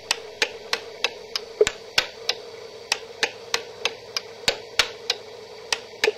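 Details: DUO 14 Premium 2-bit relay computer executing about two commands a second, address counter stepping 0 to 7: sharp relay clicks roughly three a second over faint hum; normal operation.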